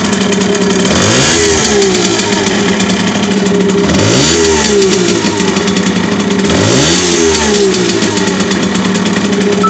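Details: Simson SR4-2 moped with Habicht two-stroke engine: buzz swells with each of three throttle blips with a rough rattling edge on top; owner finds a strange noise when revving, cause unclear.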